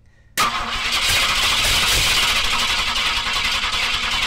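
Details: 1967 Ford Galaxie 500, newly acquired, coil positive jumped with alligator clips: starter spins the engine at a steady cranking beat but it never fires; no-spark crank, traced to the coil wire being off.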